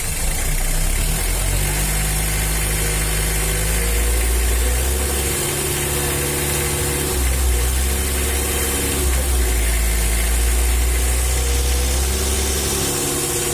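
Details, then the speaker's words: Mitsubishi L300 diesel after injection pump service and tune-up, previously harsh, knocking and smoky: steady idle clatter with even low rumble, no uneven knocks or surging, smoke gone; runs smoothly now, though the pump is worn and weak. "Setelah pompa diperbaiki, bunyinya jadi halus seperti ini, cukup bagus, teman-teman."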